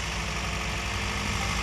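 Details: Toyota Yaris with a misfiring engine caused by a dead ignition coil, after replacing all spark plugs and coils 1, 2 and 4. Even, regular low firing pulses at a steady idle with no skipped beats: normal idle.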